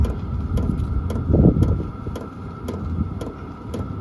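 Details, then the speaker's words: HCalory compact tool box 2 diesel heater, first startup on Bluetti AC180, cold day; at H1 the pump slowed to crisp even ticks just under two a second over soft fan whir, drawing 8 watts; normal running at low setting. "Alright, so after putting the setting to H1, the pump slowed down. Let's take a look at now it's drawing 8 watts."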